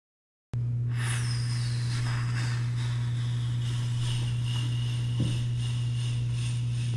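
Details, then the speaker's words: GE dishwasher after replacing the electronic control and door latch mechanism (fault was three beeps, no start): cycle now runs, steady low pump hum with water swishing, camera lowered to hear water and check for leaks. "Yo estoy escuchando el agua tú no la escuchas pero voy a poner la cámara abajo para que se escuche el"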